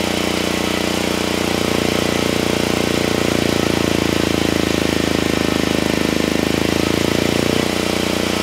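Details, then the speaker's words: Generac GP7500E generator load test after fuel system cleanup: loud single-cylinder drone, rough uneven firing, pitch dips as load comes on; held 60 Hz at 3000 W but failed at 6000 and 5000 W; engine down on horsepower, cause unconfirmed. "I had to shut it down the engine is definitely definitely down on horsepower it had no issues pulling 3000 Watts it was holding right at 60 hertz I then tried to double it to 6000 watts and it couldn't do it"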